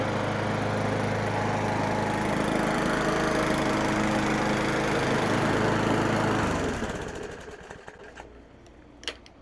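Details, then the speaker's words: Craftsman 917.388834 push mower, Briggs & Stratton Classic, with the aftermarket Amazon carb scrapped and oil clean: runs really good, steady and even at about 220 beats a minute, then winds down cleanly when shut off. "So this thing runs really good."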